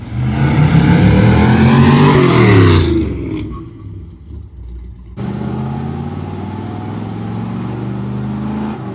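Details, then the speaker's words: 1974 Corvette V8 on a short test drive after new brake caliper install, drag-race prep: pulls strongly through the revs, backs off, settles into steady even cruise; running and sounding good; healthy engine revving. "oh yeah that is way better yeah this thing is running good it's sounding good now"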